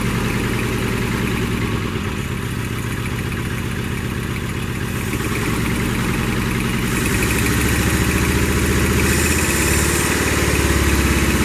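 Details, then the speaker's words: 1982 Toyota SR5 Trekker 4x4 pickup: the engine runs steadily only on a held throttle, with a slightly uneven lumpy beat and revs rising near the end; it won't idle since the fuel filter was replaced, cause unconfirmed. "So, yeah, it's running all right. The throttle response is good. It's just it doesn't want to idle anymore."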